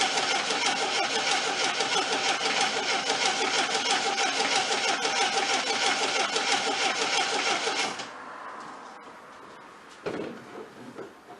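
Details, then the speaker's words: 1979 Triumph TR7 with rebuilt carburetors from a parts car, fuel tank drained then refilled: steady, even cranking about three turns a second for eight seconds with no firing; fuel pump not picking up, no fuel to the carbs. "no fuel as of yet what I'm gonna do I'm gonna shoot something it the carburetors see if I can get to pick up"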